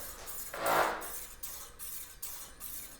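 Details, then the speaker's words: XF650 bicycle disc brake, wheel hand-spun during pre-ride checks: light rhythmic swish once per revolution as the rotor rubs the pads, with no gap between rotor and pads. Needs rotor/caliper adjustment. "hear that so if you ever hear that noise that that is the brake uh rotor rubbing against the pads um when it shouldn't be right"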